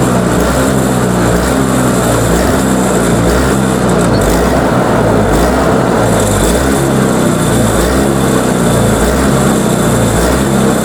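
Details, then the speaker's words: Toro Power Clear 21in single-stage snowblower, 141cc 4hp two-stroke, pull-started because the electric starter's Bendix isn't engaging. After a first carb cleaning its speed hunts up and down instead of holding a steady idle; still surging, carb suspected. "okay so she's still surging guess I'm going to have to go through that curb a little bit more in depth"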